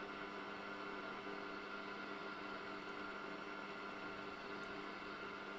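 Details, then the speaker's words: 1974 Hacker Super Sovereign RP75-MB transistor radio, tuning across the dial: only steady hiss with faint hum, no stations; owner suspects the oscillator is not working. "So nothing on there. So it sounds like the oscillator is not working."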